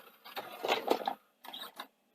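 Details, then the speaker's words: Sanyo VTC-M10 Betamax winding a hard-to-wind tape: uneven, labouring whirr in short spurts that surges and drops out; transport struggling, worn belts and idlers suspected. "okay so let's say it's it's not wonderful belts wise but it is winding this tape is terrible at least it yeah you can hear the idlers struggling"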